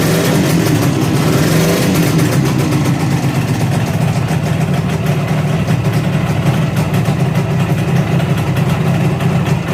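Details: 1963 Ariel Arrow Super Sports 250cc two-stroke twin, bought as non-runner, first run after rebuild with barrels painted: steady even drone with deep exhaust note and no misses or knocks; later developed a rattle and oil leak.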